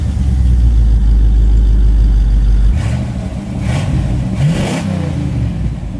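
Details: 1977 Chevrolet Caprice 5.7 (350ci) V8 after a 2-year restoration with a welded exhaust meant to cut vibration, heard under way: deep, even rumble with a steady low drone easing off as it slows; normal, healthy V8 exhaust note.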